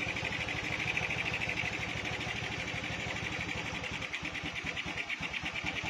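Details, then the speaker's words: Honda Beat with a stock engine fitted with a PE24 carburetor, during needle and air/idle screw setting: busy, slightly uneven idle pulsing a little over three times a second with a hissy top end; mixture set too rich. "Nah jadi bisa dilihat ya bisa didengarkan juga untuk suara keborosan Biasanya seperti ini suaranya ya"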